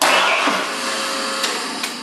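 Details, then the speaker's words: 427 Cobra build with an EFI system, ignition switched on: the electric fuel pump, programmed to run five seconds and then shut off, gives an even hissing whir that holds steady then fades with faint clicks, running normally. "pump comes on the fuel pump is programmed to run for five seconds before it shuts off it shuts off now I can just pump it make sure that it's gonna run"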